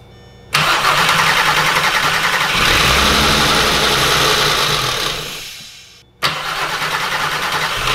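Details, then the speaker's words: 3.6L VR6 swapped into an anniversary edition MK4 Jetta GLI, first start: engine fires, idles unevenly with a hissy note, stumbles and dies, restarts rough; suspected fuel starvation and a vacuum leak, probably an evap hose; no throttle pedal or coolant fitted. "I was going to say it needs more it sounds like it's starving fuel"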